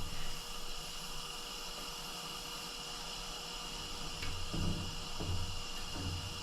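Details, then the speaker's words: Coleman-clone Ash Flash lantern (Hong Kong, 1960s–70s) being pressurized from an air regulator against a 1–3 bar rating: steady soft hiss with the fuel valve open; it stops when the valve closes. Normal pressurized lantern sound. "let's put a little pressure in here and see what it does I can hear it hissing"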